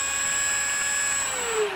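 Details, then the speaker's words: Dynam Smart RC plane electric motor after foam trimmed for clearance where it was rubbing: clean steady high whine, no scraping, pitch dropping smoothly as it slows; much quieter, healthy motor. "well we've got the old the motor sorted that's all back in and as good as it's gonna be and it's much quieter in it"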